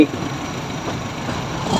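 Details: Honda Civic FD 1.8 that shook and was noisy inside the cabin: after replacing two worn, torn engine supports, steady, even, smooth idle hum with no knock, thump or vibration.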